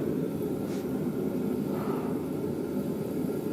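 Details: Fan whose shroud had been buzzing from vibration, now braced with a box of litter: a steady, even low rumble with no rattle or buzz on top, much quieter. Normal running.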